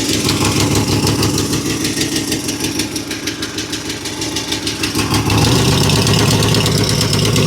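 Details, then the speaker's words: Ferrari 308 idling after tightening loose exhaust manifold nuts: sharp regular ticking about three per second riding on the idle, keeping pace with engine speed; same noise remains, suspected exhaust manifold blow not fully fixed. "Okay. Well, unfortunately not. I think we've still got that same noise now."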